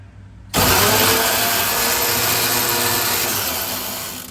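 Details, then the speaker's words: Centurion ARV tank engine: spins over steadily on starter for almost four seconds, never fires; no spark reaching plug despite good continuity to distributor cap, cause not found; crank no start. "so I still can't get that pluged to to spark for some reason"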